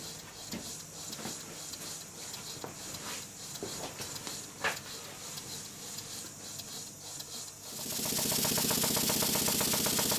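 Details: Restored Stuart beam engine on low compressed air after fitting a silicone O-ring piston and adjusting slide valve timing: light even chuffing about four beats a second, no clanks; running well.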